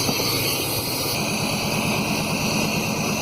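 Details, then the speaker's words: 1991 Chevy 1500 5.7 V8 running after distributor timing adjustment, air cleaner off: raw, loud, rough rumble with a harsh rasp, because there is no muffler on the exhaust. "I don't think there's any any muffler on this thing"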